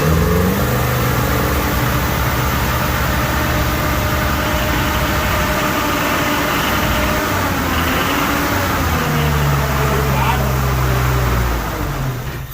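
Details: Clapped-out 1989 Toyota pickup given light throttle blips: the engine rises and settles smoothly with no clicking or tapping and sounds right. Some smoke is thought to be just burning off.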